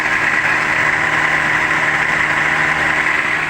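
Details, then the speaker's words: Toyota Rush that overheats: electric radiator extra fan running over idling engine with a rough, gritty whirring; worn fan bearing suspected, likely slowing the fan and reducing cooling. "Nah pada saat aktif untuk extrapannya juga ada suara aneh seperti bearing atau lahar yang sudah mengalami aus ya di bagian extrapannya itu. Agak ada suara yang kasar gitu."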